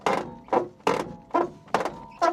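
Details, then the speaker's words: 200,000-mile Mini Cooper with a rusty metal hinge: six harsh, crunchy creaks about two a second, one per swing; a dry hinge pivot. "Like at the hinge, it's just a rusty piece of metal. I'm going to count that as a fix."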